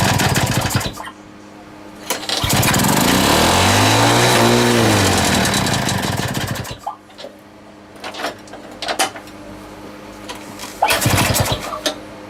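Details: Small two-stroke lawn mower just reassembled with a homemade big-end bearing shell barks into life, surges and hunts, then sputters in bursts; owner hears a leak somewhere, cause not confirmed; erratic running.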